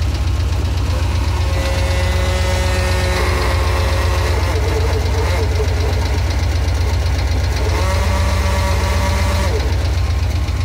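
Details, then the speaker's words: Hair dryer fitted in a running car's engine bay to warm the CNG pressure reducer against freezing: loud whining roar rising twice over the steady low idle; the dryer motor failed and is being removed. "Só que a durabilidade dele foi muito pequena. Vou mostrar pra vocês, ele começou a fazer um barulho muito forte,"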